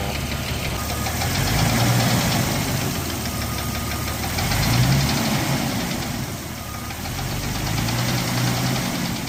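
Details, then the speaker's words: Jeep Cherokee 4.0L at 345,000 miles with a cracked piston at idle: heavy knock of roughly three to four hits a second over the idle rumble, the piston slapping the bore. "Piston slap is what they call it when the skirt of a piston breaks off and causes it to violently bang into the cylinder wall. Obviously, this is terrible for an engine."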